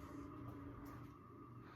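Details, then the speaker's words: 1988 Encon Premier Deluxe 42-inch three-speed ceiling fan on medium, about 120 RPM, with more worn bearings than its twin: constant low hum with a faint rough gravelly drone; worn fan bearings. "I think why this one's a little bit slower is because the bearings are in far worse condition than that fan, which you'll hear here in a minute. So, we'll go to medium. And you can hear the bearings on this fan."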